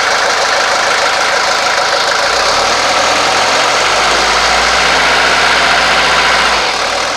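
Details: 1983 Mercedes 240D diesel after throttle linkage repair and lubrication: steady, even clatter settling into a smooth idle with no misses or knocks; normal diesel idle.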